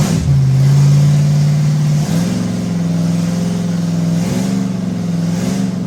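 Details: Ford 390 FE big-block V8 in a station wagon, first fire-up after new distributor ignition and timing set, cam break-in: steady raised idle stepping up in speed, smooth with no misses or knocks; normal fast idle.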